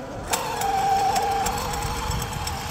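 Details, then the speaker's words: Traxxas XRT with Leopard 1000KV motor, 1.5 mod gearing and Castle 8S ESC, after a jump: a high motor whine with irregular sharp clicks and rattles. The drive shaft may be wiggling inside; owner also suspects the center diff. Broken drive shaft. "Could be the drive shaft. Yeah, that could be the drive shaft wiggling inside."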